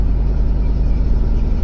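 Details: 2005 Ford F150 after starter replacement, sat a few weeks: engine starts and settles into deep, steady rumble at idle with even beat, no stumbles or knocks; normal idle.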